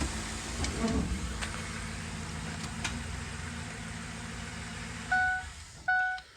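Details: 2007 Ford E250 work van, 4.6L V8 with automatic transmission, idling in gear: quiet, even, steady low idle with no knocks or misses, then two short chimes; earlier roughness after possibly sitting about a year has cleared, runs smooth.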